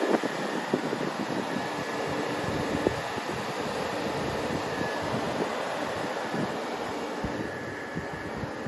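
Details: Nissan 350Z with 1JZ swap, two newly installed 14-inch electric radiator fans switched on via a switch: steady even whoosh of air with no ticking, rubbing or wobble; fans running normally.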